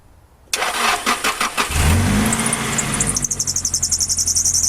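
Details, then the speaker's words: Nissan Silvia PS13, dead battery, sat about 10 weeks on a boat and about a month at home, jump-started with an eBay battery jumper pack: about five quick cranks, then catches and settles into an even, steady idle; starts normally. "so as you can hear it's running now this car has been sat he was on a boat for however many weeks 10 weeks"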